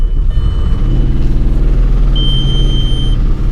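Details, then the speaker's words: 2001 Volkswagen Jetta VR6, owner diagnosing an engine knocking noise while driving. Lumpy, uneven low rumble with stumbling, irregular beats, described as sounding like a helicopter; severe misfire, cause unconfirmed. "oh my god this thing sounds like a helicopter oh this is a really bad idea this is a really bad idea"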